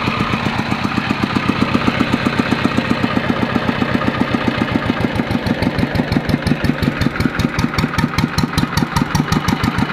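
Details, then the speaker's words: Yanmar TF115 LM single-cylinder diesel before repair, hard to start when cold: now running at a steady slow beat with soft, uneven pulses, weak and lacking strength; cause not yet confirmed, pump plunger, injector and delivery valve to be checked. "ฟังตอนนี้ไม่ค่อยไม่สู้มือเลยครับ"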